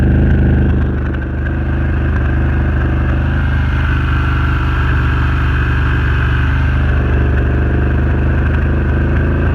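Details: Renegade 1000 V-twin at idle with ragged, stumbling beat and uneven thumps breaking the rhythm; misfire, cause unknown.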